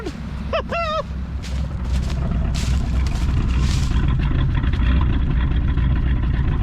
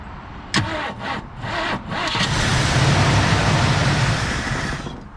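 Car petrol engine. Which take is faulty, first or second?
second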